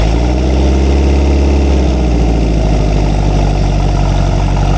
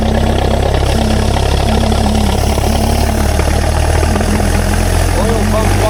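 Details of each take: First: Rare experimental 4-cylinder big-block engine, revived after 15 years and run hot after ignition timing adjustment: an even idle with a deep low rumble; the knock-like thump is exhaust echo, not rod knock. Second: Rare experimental four-cylinder big-block engine, first run in 15 years: rough lumpy run with a loping beat near four per second with throttle held open, then backfires and stalls; ignition timing too advanced, needs less.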